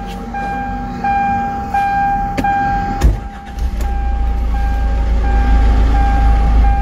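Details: Hyundai Santa Fe CM common-rail diesel with DPF, no-start with normal self-diagnosis, after correcting cam/crank timing about 12 degrees out: a few ticks and a thump, then a steady, even low rumble; normal start and idle.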